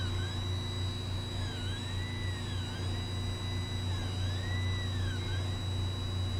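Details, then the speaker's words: Newly built Ender 3 3D printer: a constant low hum under repeating rising-and-falling stepper chirps as the axes move. Loud, odd noise; fan blade or stepper pulleys suspected, not confirmed. "Oh, that's an awful noise. What is that?"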